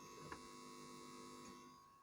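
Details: Microtek 850VA inverter after board repair, formerly showing low-battery fault with excess vibration and humming: now a steady, even transformer hum with a faint high whine, no buzzing or rattling; running normally.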